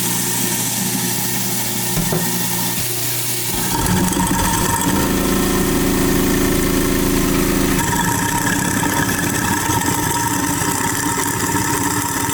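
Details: New InSinkErator Badger 1/2 hp garbage disposal, first run after installation with water running: steady motor whir with a brief grinding rush that clears quickly; runs smoothly, no rattle, strain or leaks.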